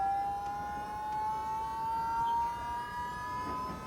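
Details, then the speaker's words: Vauxhall electric power steering pump, temporarily wired to a switch box for a Metro 6R4 / Subaru WRX conversion, spinning up unloaded with a clean, high, steady whine rising in pitch, like a jet fighter; running normally. "Haven't really run it up too much. Jesus, it's like a jet fighter."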